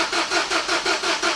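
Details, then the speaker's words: Peugeot 207 CC, engine believed EP6DT from VIN, before compression test: quick even cranking about five beats a second, perhaps one cylinder fired, then no more attempts to start; cranking no-start, internal damage suspected but unconfirmed. "there's perhaps one of the cylinders fired so i speed this part up and then she's not going to start again there's no attempts"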